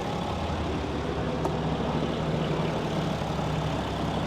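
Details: Newly built 6.7L Cummins diesel (Tow Monster Plus) that initially wouldn't start, after bleeding air from the fuel system: even, steady idle with deep rumble, no misses, knocks or hunting; gauge shows no oil pressure, switch suspected bad.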